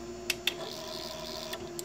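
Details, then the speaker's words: Anet A8 3D printer: the extruder stepper motor plugged into the X-axis port gives short buzzes and crisp clicks as it steps on command, responding normally; the owner concludes the extruder board port, not the motor, is at fault. "see as soon as I click it receives signal it does what it's told it thinks that that's as far as it'll go like it they can't get won't move anymore"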